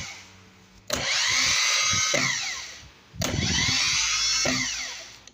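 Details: Bench test of a starter motor after repair (damaged front Bendix and worn brushes replaced with a new Bendix and brush box; rusted shaft had made it struggle): two clean bursts of high, even whirring that spin up and wind down smoothly, with no grinding.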